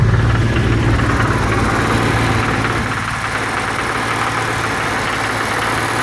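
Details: BMW M30 inline-six petrol engine held steady at about 2500 rpm, with a fast, uneven knock or rattle over its hum; cause unknown.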